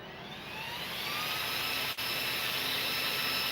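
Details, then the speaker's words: Game Changer RC cooling fan for an RC car, powered from a 3S 1300mAh Z-pack battery: whirs up in pitch within a second, then holds a steady high even whine; normal fan spool-up. "So right now what I can do is I can actually hook up this fan and let you hear what this thing sounds like."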